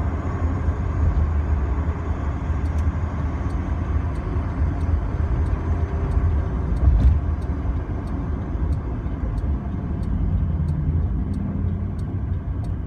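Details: BMW E30 driving on the road: deep road rumble with a faint repeating thump and tick keeping pace with the wheels; rear-end source not pinned down, owner suspects wheel bearing, axle, shock mounts, driveshaft or differential.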